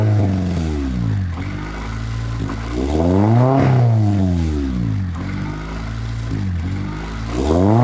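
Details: Honda Accord CD7 (1996), sat parked for months, jump-started, revved; revs rise and fall with a light clatter over the tone; suspected valvetrain noise, cause unconfirmed; hunting rpm likely from a dirty IACV.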